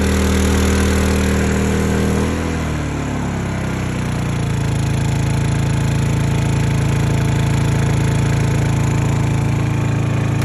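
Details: Honda EU2000i (EU20i) generator after load tests and a stale-fuel rough-idle fix; engine drops smoothly from higher speed to a low, steady eco idle and holds evenly without hunting. Normal idle.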